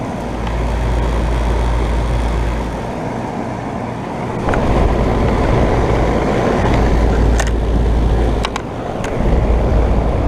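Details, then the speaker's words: 2012 Bryant Legacy air conditioner, first startup of 2022 cooling season, cooling well: even low compressor rumble with steady fan rush and brief small knocks; running normally. "Yep, it's running. Year, tonnage, and all nice and cold."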